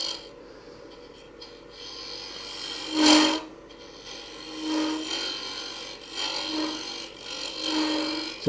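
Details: Woodturning lathe, scraping cut: intermittent scraping cuts with a buzzy, ringing rattle on each pass; the tool is chattering because it hangs too far past the rest.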